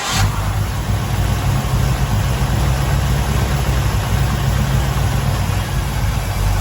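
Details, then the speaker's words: Freshly rebuilt 454 V8 in a 1970 Chevelle, four-speed, warmed up after first start and timing: deep even burble settling to steady idle, no knocking; lifters sound decent, no need to adjust, running normally. "i think the lifters they sound pretty pretty decent i don't think we need to go back and edge sound really good so that's good"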